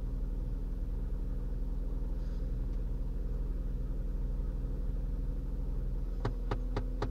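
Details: Faulty HVAC recirculation door actuator popping when commanded: four sharp pops about a third of a second apart over low, even idle rumble; actuator skips and fails to reach commanded position.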